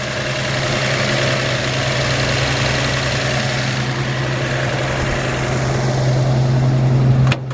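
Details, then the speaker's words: 1954 Chevy 5-window truck warming on automatic choke after a short drive: smooth steady hum idling slightly high, no tapping or misfire; healthy engine, idle could be turned down slightly. "So it sounds like it's idling up a little high. Let's try. Well, I can't do it by hand. Nice, healthy engine."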